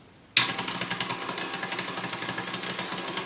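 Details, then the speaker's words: Vintage KitchenAid 4C stand mixer before service, at speed 1: the motor kicks on, then runs slow and rough with an uneven, rattly flutter; higher speeds are better. The gearbox is suspected to need cleaning and re-greasing, unconfirmed. "there's the first speed there, and it seems kind of slow and a little bit rough."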